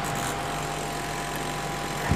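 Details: Electrolux 12 kg twin-tub washing machine: washer motor turns but spin-dryer motor only hums steady without speeding up, timer turned; stalled spin motor, failed start capacitor.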